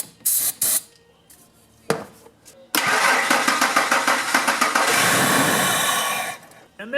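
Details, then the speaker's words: Truck that cranked but wouldn't start, after it had sputtered and run rough: starting fluid sprayed into the air intake, then it fires and runs smoothly for about three seconds and dies. This indicates a fuel problem; a fuel pump is suspected. "That fired up. It was running smooth just for that short time."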